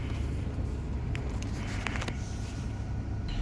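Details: 2011 Jeep Grand Cherokee WK2 idling smooth and even, no knocks or misses, after ground strap replacement fixed no-start/no-crank and P0622 generator field code.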